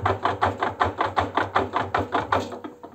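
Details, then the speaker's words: Arçelik washing machine drum rocked by hand at the bellows seal: quick regular dry knocking ('tıkır') from worn drum shock absorbers, audible even with a finger push. "tıkır Gelen sesi Duydunuz arkadaşlar Bakın bir daha sallıyorum parmağımla bile yaptığımda sesi duyacaksınız"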